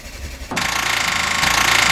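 Quiet, then a sudden fast, even cranking chatter that keeps churning; starter spins the engine fine, so the no-start lies elsewhere.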